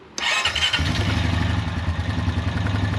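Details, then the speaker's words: Honda Rancher EFI (TRX420) after O2 sensor replacement for DTC 23, started in neutral: catches right away, smooth even low thump with no surging; previously surged and revved erratically, check engine light now off. "Oh wow, you can already tell it's running 100% better. So it was surging and revving up and acting crazy before."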